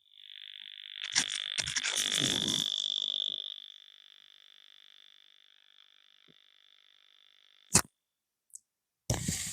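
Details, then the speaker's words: Radio Shack 200-in-One project lab crystal set radio: loud high rasping buzz instead of any station, then fading into clicks; the aerial runs to an amplifier in the loft, so mains hum is suspected. "I'm actually getting a loud hum on it, but I've just remembered, although I said that aerial goes up into the loft, it goes up to amplifier in the loft. So that's probably even worse because we're picking up mains hum."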